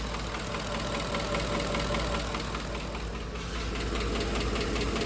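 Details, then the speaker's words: 2010 Ford F-150 5.4L 3V after dealer timing job and oil pump: loud, fast, sharp tick at idle rising with rpm, abnormal roller follower tick rather than phaser knock; seized roller follower on worn cam lobe. "That is a tick from the followers. It's a lighter, tinier tick. And if you rev the engine up, it'll go, of course, faster with the engine RPM."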